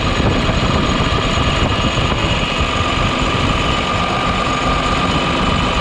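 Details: New Holland T7040 tractor after an engine swap, fired up after the final bolts were tightened and needing ether to start. Steady, even diesel clatter with a faint high whine and no knocks or misses: normal running.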